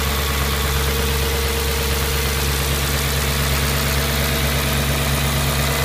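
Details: Audi S4 B6 V8 at idle: steady deep even hum with a faint, uneven tapping riding on top; abnormal engine noise, source not yet pinned down.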